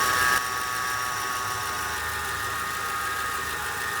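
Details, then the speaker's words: 2008 Ford F-150 SuperCrew 4.6 at idle, engine warm, heard through a pipe used as a stethoscope: a loud, steady high whine from a worn serpentine belt tensioner pulley bearing. "this is a 2008 ford f-150 supercrew with a 4.6 it has developed a loud wine and i believe that it is the belt tensioner"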